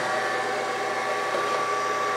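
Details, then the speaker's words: Brown & Sharpe 618 Micro Master surface grinder after adding hydraulic oil and running 3–5 minutes: steady, even hum with a thin high tone, no knocking or surging; table now normal. "No, that is working like it should. I fully expected that to do nothing to the hydraulic."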